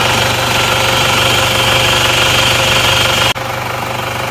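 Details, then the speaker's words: Isuzu Panther diesel after engine repair, just started: steady, even diesel clatter at idle, about four beats a second with no miss or knock; engine now smooth and healthy. "Alhamdulillah mesinnya halus ternyata ini suaranya seperti ini"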